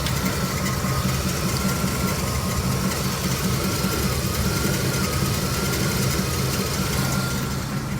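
Truck engine holds a steady, even idle with a smooth low rumble, no tapping, surging or stumbling.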